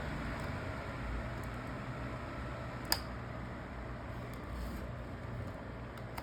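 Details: Fan just repaired by replacing the damaged blade and its missing retaining cover, tested with the grill back on: steady, even whirr with a low hum, no wobble or rattle; runs smooth and balanced after repair.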